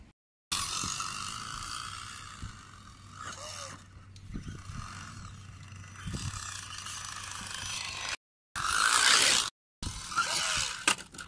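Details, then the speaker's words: 1.9 Wraith RC crawler with Stealth X transmission, on trail: irregular harsh scraping and clicking from the drivetrain, comes and goes while driving; owner first guessed a broken gear tooth, later thought to be debris in the transmission gears. "My best guess so far is probably a broken tooth in the transmission. Nothing in the axles. Pretty sure it's one of the gears inside. But anyways, it sounds horrible, but it still runs, so I'm gonna drive it back basically."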